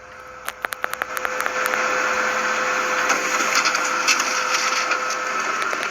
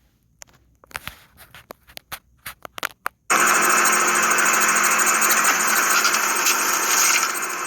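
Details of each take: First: Kyocera M3660idn printer after lubricating the rear roller shaft whose friction caused loud screeching while copying; a few clicks then steady whirring feed with light hum and no screech, normal running. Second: Kyocera M3660idn printer making a copy: clicks from the paper path, then a loud steady high-pitched screech from the rear exit guide rollers near the fuser; fixed with multi-purpose grease.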